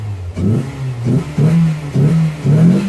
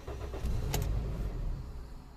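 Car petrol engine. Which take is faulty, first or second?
second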